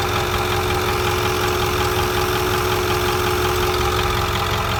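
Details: 2008 Ford 6.4 diesel at idle, after water pump replacement: steady light fast rhythmic tick with a faint steady tone above; owner wonders about a nicked vacuum line, source not found. Ticking noise at idle.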